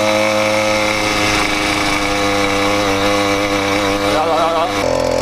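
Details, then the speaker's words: Freshly built 80cc two-stroke motorized bicycle after clutch tightened to stop slipping: sharp, buzzy note holding steady and even, no slipping or odd noises; clutch engages cleanly. "Tighten up the clutch. We're not slipping anymore. that crazy sound anymore. Listen to her purr now. Oh, she sounds much better."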